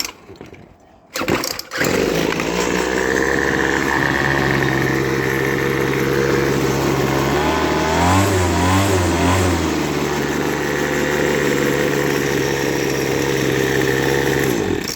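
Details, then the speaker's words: Poulan Pro two-stroke weed eater after tune-up: carburettor kit, new lines, cleaned tank, relubricated shaft; catches quickly, even buzz, blips up mid-clip and drops back smoothly; normal running and revving. "So we're going to fire it up here. Should fire up no problem. That starts almost good as my Mercury outboard, like."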